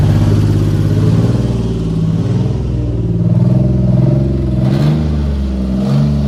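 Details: 2003 Ford F-150, first cold start after swapping in a replacement 4.2 V6 with intake and throttle body resealed: a strong, steady low rumble settling into an even idle without missing or knocking; a healthy cold start.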